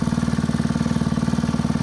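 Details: Honda WX15 water pump single-cylinder engine, unrun for 3.5 years, restarted with choke off while priming; steady quick putter around fifteen firing pulses a second, even and smooth; normal running.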